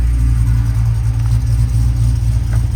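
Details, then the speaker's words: Truck on jack stands with a newly installed Tremec TKX replacing a failed T5, in first gear with the wheels spinning: smooth, even low driveline rumble with no grinding, clunks or whine. Gearbox running normally. "But clutch in, goes into gear smooth, no grinding. Try out first gear. Yep, and I can feel it."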